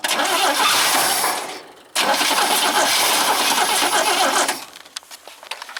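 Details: 1971 International Scout 800, AMC 232 with BW35 transmission, ignition switch chewed up: steady fast cranking in two bursts, never fires; suspected not getting full power to the coil, unconfirmed.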